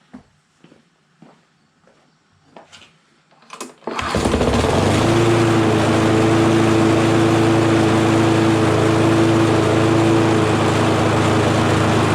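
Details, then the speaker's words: Honda mower engine after cleaning a rusty ignition coil: a few handling clicks, then it fires at once and settles into a smooth, even, quiet hum at low throttle. Normal low-throttle idle. "and that's all the louder it is when it's on low so that's not too bad"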